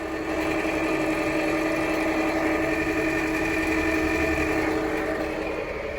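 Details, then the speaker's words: 2019 Jeep Compass petrol engine idling: steady whirring whine and fast rhythmic chatter from the accessory belt area, traced to the alternator pulley. "então o carro tá dando barulho muito estranho vamos aproximar um pouquinho aqui com certeza dá para ouvir na imagem que tem um barulho na correia"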